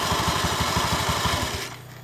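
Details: Honda Beat eSP scooter CVT: rapid knocking clatter, about eight beats a second, only when pulling away, fading once moving; sourced to clutch bell, clutch shoe lining worn away so metal touches the bell.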